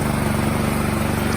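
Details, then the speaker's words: 2017 Troy-Bilt Storm Tracker 2690 XP snow blower after carburetor replacement (part 951-15236), choke off: steady, even low-rpm running with no surging. Normal running after the fix. "no more surging running nice and smooth the throttle is smooth low rpm running smooth"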